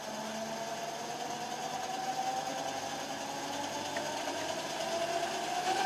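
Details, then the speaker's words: Direct-drive variable-speed woodturning lathe, no belts, starting at a preset 500 rpm and stepping up to 1000 rpm: a smooth even motor hum whose pitch climbs slightly with speed. It runs healthily. "you can hear the speed that's up to a thousand i don't know what this will actually go up to probably four and a half five thousand reds"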